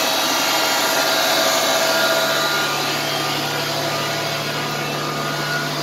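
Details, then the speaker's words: Electric 1-ton truck in neutral, alternator and electric motors spinning together as one: smooth, even whir with a steady low hum, no knocks or wobble. Normal idle. "Now the alternator is spinning, the electric motors are running, and all 3 of them are running together as one motor. This is what it sounds like when it's idling."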